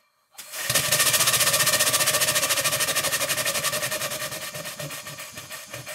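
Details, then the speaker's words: Extremely worn 2-inch scale Fowler steam traction engine running after repacking the piston rod gland, adjusting the small end bearing and shimming the crosshead slipper; even chuffs near four a second, steady hiss, no rattle or knocking now. The whistle is painfully high-pitched. "now the engine doesn't seem to be rattling at all but the whistle is painful"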